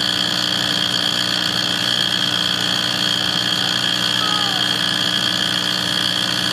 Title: Why is my wall furnace making this noise